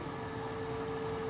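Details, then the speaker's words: Undersized return air vent with vibrating louvers, air velocity too high: after the noise stops, the ringing builds back slowly from faint to a steady mid-pitch tone over the air hiss as the louvers vibrate again; singing return vent. "ringing noise it's called a singing return air vent the vent has two high velocity it's making turbulence and these things are ringing"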